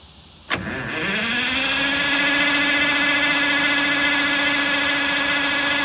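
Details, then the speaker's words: 1958 GM PD4104 bus, warm, key cycled off and on; a sharp clack then steady whirring crank that never catches; cranks but gets no fuel. "Stop! It's not getting fuel."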